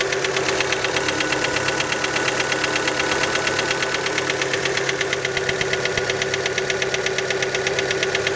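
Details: Fiat Panda engine after a cold start: a sharp, steady ticking knock, about three per second, over the cold idle. The piston skirt is suspected but not confirmed.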